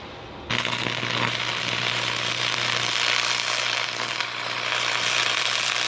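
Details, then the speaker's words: Free Miller Thunderbolt 225 stick welder, acquired after Hurricane Harvey, tested by a first-time arc welder. Steady crackling sizzle over a low transformer hum, starting abruptly and holding even: welder works properly. "Well, it works. Catches every damn thing on fire."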